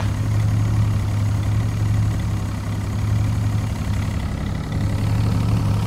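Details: Evinrude E-TEC 75/90 outboard on a Brig Navigator 570, fault-finding with a test injector on cylinder one. Smooth, even low idle, holding steady with no misses or knocks. Normal idle.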